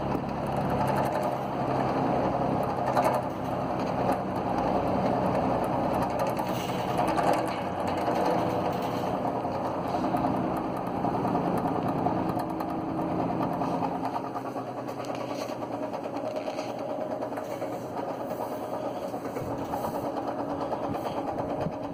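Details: Eskimo box fan: a rough, uneven rattling whir with a grinding edge from worn motor bearings.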